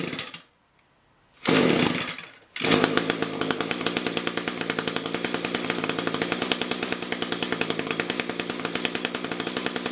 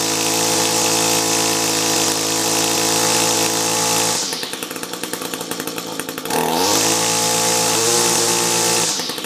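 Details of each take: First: Echo two-stroke engine after carburetor rebuild/replacement, low and high mixture screws tuned roughly equal, run in winter: fires after a pause and settles into a steady, even buzz with regular firing pulses; healthy, running cleanly. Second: Echo SRM-210 trimmer with a rebuilt carb, compared against an identical engine on a new carb: buzzing revs up and down, note stutters when throttled back. Rough running; cause unconfirmed.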